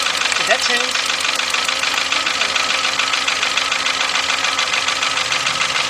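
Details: 2.0 Volkswagen at idle while cylinder 1's plug wire is pulled: ticking beat near 200 a minute that stumbles unevenly; misfire, with spark seen arcing out through the side at the ignition coil.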